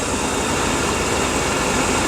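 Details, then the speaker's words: 2004/2005 Dodge Dakota: uneven, ragged, shaky idle. The scope shows no EGR command, but the EGR valve is stuck open, letting exhaust gas into the intake; the computer cannot detect it. "The EGR is just stuck open. It's not being commanded open, so the computer doesn't understand that it's stuck open."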